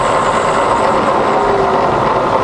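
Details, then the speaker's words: Fully rebuilt Bridgeport milling machine in low range, spindle back down to 100 rpm: a smooth, even, quiet hum with no knocks or grinding; the spindle runs normally. "all lovely and quiet back down to 100"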